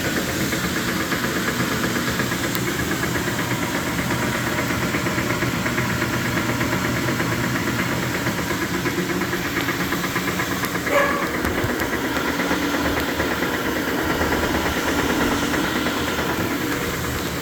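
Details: Speed Queen TR washer running: steady, uneven knocking, clanking and rattling during operation, caused by play in the drive pulley after the pulley nut loosened on the shaft.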